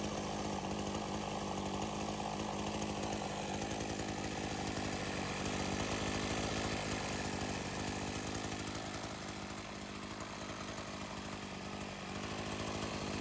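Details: Sachs-Dolmar 100 chainsaw that wouldn't idle even after a carb rebuild, being tuned with chain fitted: a strong, even two-stroke buzz holds steady and revs cleanly with no stumbling or hunting; it now runs properly.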